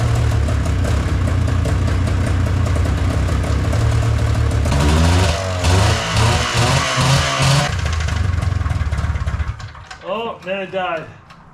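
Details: Old engine with spark confirmed at plug and brownish fuel filter found afterward: engine catches and runs roughly for several seconds, revs wander, then fades out and dies; starts then stalls.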